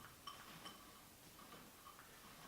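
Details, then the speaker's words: Barbell with bushings, sleeve turning: light, sparse metallic ticks and clinks, no grinding; the bushings knocking inside the sleeve. "also with the other two bars you've heard though he's the so-called bushings inside knocking down there hears this sound"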